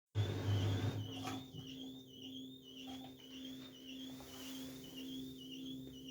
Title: LG TurboWash, TubClean Cycle, Squeaking Noise